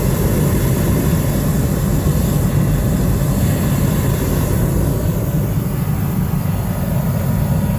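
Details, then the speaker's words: Diesel space heater in a garage, just fixed and reassembled with a full diesel tank, fired up and left to cycle and blow out dust: a loud, even blower and burner roar with no knocks or sputters. Running normally after repair. "Don't know if you can hear me over that row. I'm just going to let it run for a little bit, let it cycle and let it sort of blow any dust and crap out."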